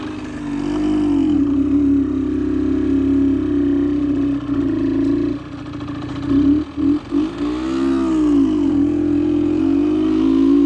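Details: Suzuki SMX 50 two-stroke on first break-in test ride after engine rebuild: drones flat at low revs, then pitch wavers and climbs as it comes onto the powerband; no power down low, owner suspects the needle should be raised for richer fuelling.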